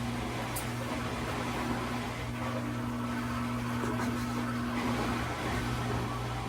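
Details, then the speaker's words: Electrolux ELFW7537AW1 washer in diagnostic test mode, draining on knob position 11, checked after a bra underwire stuck under the tub caused noise. Steady low pump drone with a faint whirr, no knocking or scraping; drain pump working normally. "So from here, each time you're turning the knob, it fills with water. It's draining on 11."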